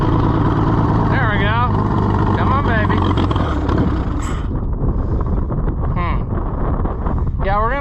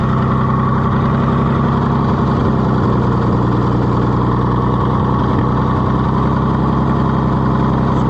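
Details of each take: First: Oliver 70 tractor, first run in many years after a carburetor rebuild: runs rough and uneven, surging and sagging, never settling; owner suspects poor fuel delivery, not enough fuel, cause not confirmed. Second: Oliver 70 tractor after a difficult carburetor rebuild, running with a little choke: steady, even low thrum with no misses or stumbles, holding a smooth idle; the engine is running healthily.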